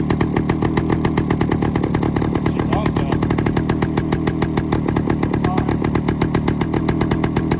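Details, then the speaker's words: 1972 Suzuki TS185 first start in 30 years, with spark and compression confirmed, new carb; fast, sharp, rough two-stroke popping with more exhaust escaping from a header leak than from the tailpipe, exhaust leak. "so that sounds like something's terribly off on the car got more exhaust coming out of the freaking leak than we do in the back"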